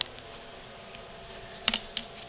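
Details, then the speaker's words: Stihl MS290 chainsaw turned slowly by hand: light irregular metallic ticks as loose crank bearing balls slap together from a failed cage, causing an air leak and poor idle; planned fix is new 6203 C3 bearings and seals. "But you can hear the little ball bearings slapping against each other, and they should not be able to touch each other as it rolls over."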